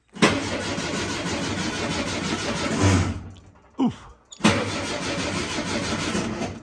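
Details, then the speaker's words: 1967 VW Beetle with its original wiring harness being revived, key switch bypassed with a starter button: starter engages strongly and spins the engine evenly for a few seconds, pauses, then cranks again smoothly. Normal starter cranking. "So I've jumped the key switch with my starter button, and as I push,"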